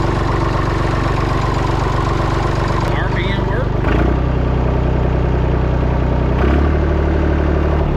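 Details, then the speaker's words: Massey Ferguson 245 three-cylinder diesel tractor idling after 12+ years unused, burnt/melted radiator, while power steering is tried; low, steady clatter with slight rev lift partway through, firing even. Normal idle. "You just can't kill these old tractors. These old diesel engines charge it."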